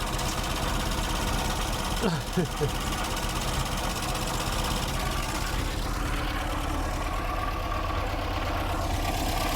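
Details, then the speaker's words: 1960 Triumph TR3A, long stored in a barn, idling after bleeding air from the cooling system, oil pressure just over 50: constant whirring mechanical noise over a steady idle; water pump bearing suspected, later confirmed by stethoscope. "I don't like the sound. Sounds like the water pump. It's something else. We'll see. Something is making a noise."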